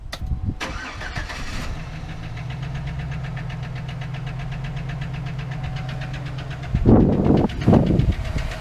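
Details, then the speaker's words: 2008 GMC Sierra 1500 5.3 LS V8 at startup: cranks, catches, and a steady rapid ticking knock rides over a rough idle through throttle blips; owner suspected a frozen lifter or rocker arm; a failed lifter was later replaced. "Started up the GMC the other day and it didn't sound good. I don't like this sound. To me, this is the death of my motor, but I'm praying it's not."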